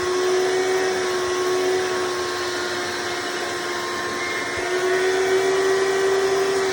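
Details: Hoover Decade Soft & Light Elite vacuum (owned since May 2024), first run after swapping 7-bladed fan impeller for 20-bladed upgrade, motor and brushroll bearings already greased: steady even mid-pitched motor whine, no rattles; noise mostly reduced but still somewhat loud.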